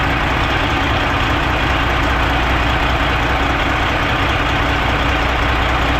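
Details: Old Freightliner semi diesel running with the valve cover off: loud clatter with an uneven beat about two or three times a second. A cylinder drops out from a broken injector harness wire, after a replaced injector didn't fix it and the Jake brake was ruled out.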